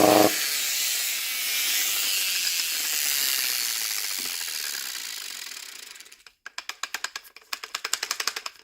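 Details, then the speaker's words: Roughly 20-year-old Mastercraft angle grinder with flap disc: high whir fades on run-down, then irregular loose clicking about three per second, sounds pretty loose; probably worn bearings. "sounds pretty loose"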